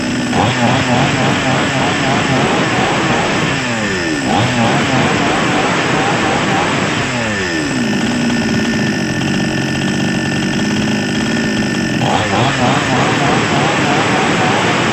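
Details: Chinese chainsaw-type small two-stroke engine that was hard to start, after replacing a cheap cracked part: buzzy steady run, revs up and down cleanly through throttle blips, holds speed fine, sounds healthy.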